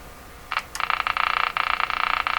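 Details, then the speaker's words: Westinghouse 535 vacuum-tube radio, working once the supply was raised to 102 V: a raspy, croaking buzz pulsing about a dozen times a second from the speaker, electrical interference picked up in the shop. "a lovely sound of interference in my shop."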